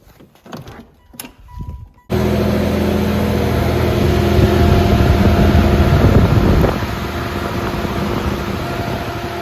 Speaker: I don't know how well you guys can hear me, but the fan is working great. It is pulling a lot more cold air through than it did before with the stock fan.